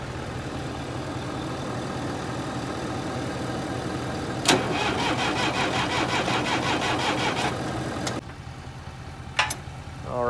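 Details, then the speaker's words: Massey Ferguson 30B loader diesel, sat over 14 years, jump-started: steady cranking about three turns a second with no firing. Cracked fuel-water separator drained the lines, air in fuel lines suspected. Cranks, won't start. "all right let her rip he's just got some air in the lines i think"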